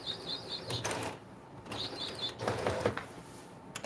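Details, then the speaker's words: Epson EcoTank ET-8550 converted for DTF printing, running a regular head-cleaning cycle. Short bursts of a thin, high whistle that the printer shouldn't make; cause unclear. "the printer shouldn't make that noise. That really high whistling noise, the printer shouldn't be making that."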